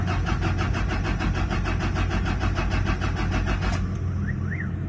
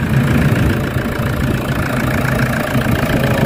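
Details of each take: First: Toyota Fortuner diesel crank-no-start from a fuel system issue: steady fast starter cranking for almost four seconds with no firing, then stops; turning over but starved of fuel, air in fuel system. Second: Toyota Fortuner diesel after fixing a crank-no-start fuel system issue: steady, even idle clatter with no misses, knocks or hunting; a little air still in the fuel system, expected to clear as it runs.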